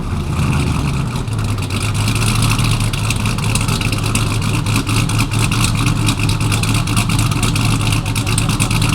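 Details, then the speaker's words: Ram TRX with a Hellephant 426 supercharged crate HEMI swapped in, first run on a base calibration file, on the lift: deep steady V8 rumble with a smooth rise in revs, no knocks or rattles; runs healthy. "Runs pretty good on the base file. Obviously, we're gonna continue to make improvements as we go. I don't hear any bad noises."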